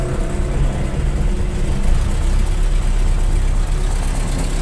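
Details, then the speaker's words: Toyota Kijang Super engine that runs rough; carb was cleaned, plugs and plug wires replaced. Rough, uneven rumble that stumbles and nearly dies when throttle is opened. Plug leads are pulled one by one to find the cylinder: misfire, blamed on the spark plug wires. "jadi suara itu brebetbet ini mudah-mudahan dengan ganti kabel busi semua sudah teratasi"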